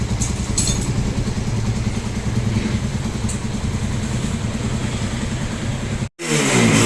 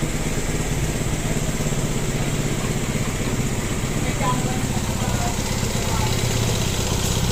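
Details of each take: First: Single-cylinder motorcycle at idle after timing chain and guides were replaced along with other damaged parts, original tensioner reset and reused: steady, even idle with a soft regular beat, no engine noise or misfire; normal idle. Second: Motorcycle with a loud, rough idle: busy mechanical clatter over a low beat, and it also runs poorly and needs a tune; cam timing marks were checked. Finding: a loose timing chain.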